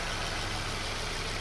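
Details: Suzuki SX4 after head gasket, timing chain and PCV valve replacement: steady, even idle hum with a constant low drone and hiss over it, no knocks or ticks; the engine runs healthy.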